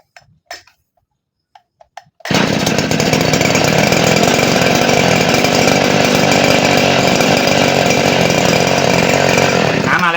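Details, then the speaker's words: Second-hand Robin small-engine centrifugal water pump, probably for about a one-inch hose, primed with water: a few clicks, then steady even buzz at constant speed as it draws water; running normally. "เอ้าน้ำน่าจะเข้าโอเคเมื่อกี้มันดูดน้ำแล้วนะครับเดี๋ลองสตาร์ทใหม่โอเคน้ำมาแล้วครับ"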